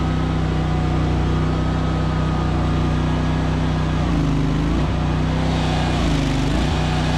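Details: ZT200 mower on a deck test: a steady engine drone sags twice as load comes on, then recovers. The clutch is probably slipping because the deck would not turn and something inside was stopped up; the belt is to come off for inspection.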